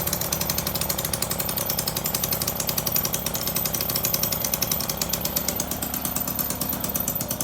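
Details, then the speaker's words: Motobecane two-stroke moped idling too fast before the idle adjust screw is turned. Fast, crisp, even popping buzz with a hint of slowing: high idle. "Now, it looks like we might be going a little fast. Let's see, let's get under here. Right here's our idle adjust."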